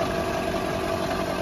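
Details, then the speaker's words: Car on stand, suspension unloaded, driven front wheel spun in 2nd then 3rd gear: steady mid-pitched hum with vibration felt at spring coil; front hub bearing, replaced 3 years and 30,000 km ago; owner suspects water ingress from washing. "короче, слышно, да, друзья мои? И на витке чувствуется вибрация. На витке пружины."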